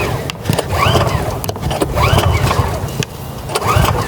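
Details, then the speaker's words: Kraft&Dele KD681 3000W inverter petrol generator, first cold start: three rising recoil-cord whirs about every 1.5 seconds with no catch. The choke was accidentally left open, because this model's choke closes to the right rather than the left, so the cold engine would not fire. "і виходить що я відкрив заслонку і намагався на відкриті заслонці на холодному двигуні його запустити і нічого не виходило"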